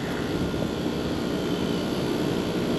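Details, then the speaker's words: Packaged AC compressor after swapping the three-phase leads that an electrician had miswired: even, steady hum and whoosh, pressures coming down, suction 58; pumping normally, condenser coil dirty. "but I guess the electrician miswired the three-phase by accident when they redid the electric on this side of the building"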